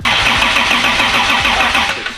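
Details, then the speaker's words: 2JZ-swapped FRS mystery project on first start attempts: uneven spluttering firing over the starter whir, catching and dying; electrical ignition timing quite a bit off, not mechanical timing. "he got spot on it was quite a bit off time uh in terms of electrical ignition timing not mechanical timing so uh it's a good good sign"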